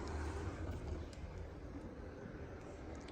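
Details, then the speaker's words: Large-scale model train wagon with new roller bearings coasting on track: soft, even low rumble, much quieter than bush-bearing wagons, no squeal or grind. "do you hear how much quieter it runs on the rail yeah that that yeah this don't know if you can hear it on the phone but it's much quieter"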